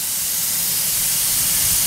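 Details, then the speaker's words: Ingersoll-Rand MC-2A diesel air compressor running, builds about 155 psi: loud steady high-pitched hiss over faint engine rumble from split cast piece at the air-water separator; owner plans to remove and weld it. "that cast piece down there split so I'm gonna have to remove this air water separator and see if I can weld that up"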